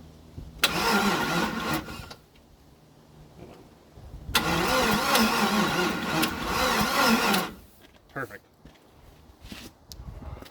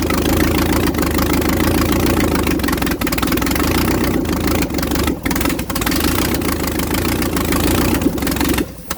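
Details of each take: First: 1956 International R180 truck with a junkyard 454 V8 at its first start: two long, labouring crank runs at about three turns a second that never catch, even with a booster pack. Slow cranking from a weak battery setup; a spark flash was seen. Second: 1956 International R180 with a junkyard 454 V8, first start on open exhaust: loud, raw V8 settling into a steady, even idle with no stumbles or smoke; sounds like it's firing on all eight.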